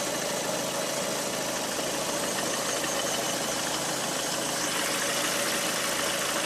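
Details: Lada Priora 126 engine, hot idle: light, dull tapping, about three a second, just above the engine hum. Piston group ordered for replacement; pulling the cylinder 4 coil stopped the knock when cold. After repair the knock was gone; car sold at 100,000 km.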